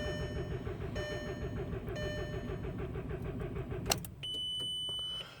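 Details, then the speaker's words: 2004 Jetta, five-speed, four-cylinder: starter spins steadily with no firing, warning chime beeping about once a second with oil lamp blinking (oil level checked); cranks but won't start. "okay so 2004 Jetta for a five-speed four-cylinder it's cranking but not turning over"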